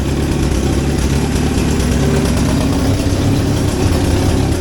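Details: 1963 Hillman Super Minx after fuel pump repair, voltage regulator work and a negative earth conversion: steady, even low-pitched idle with no misses, knocks or ticks. Charging, oil pressure okay; healthy idle.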